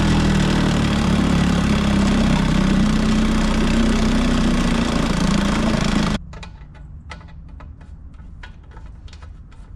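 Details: 1950s Evinrude 3 hp two-stroke outboard, run after a carb cleaning on a 24:1 TC-W3 oil mix. Buzzes at a steady, even idle for about six seconds, then cuts out; it runs normally.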